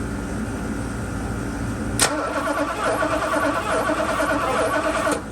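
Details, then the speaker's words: 1982 Mercedes 380SL cranked with the ignition on during a spark test: the starter whirs steadily for about three seconds with no firing. Crank, no start; the owner suspects an ignition part is bad, and it got hot. "still nothing so I'll try grounding this real quick and if that don't work then I know this is bad"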